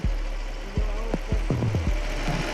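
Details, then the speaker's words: 5.7 Hemi V8 after fixing a loud top-end tick (broken rocker shaft replaced): low, even idle rumble, no ticking or knocking; normal, quiet idle. "guys I am still amazed how quiet this engine is compared to what it was so"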